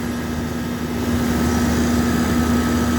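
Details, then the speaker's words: Old York air conditioning condenser at a preschool after parts replaced and rewiring; steady even hum with a low buzz and constant fan rush, line good and cold, no rattles or squeals, running normally. "But everything new now. It's running good."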